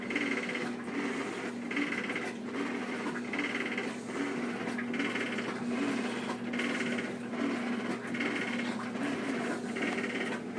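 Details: Two-year-old Whirlpool Cabrio washer: buzzy rattle riding on each agitation stroke, absent during spin; owner suspects bearings, unconfirmed.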